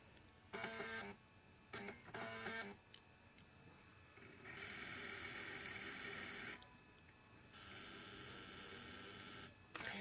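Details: PS2 console disc drive: harsh, buzzy grinding bursts as the disc spins up, cause unclear.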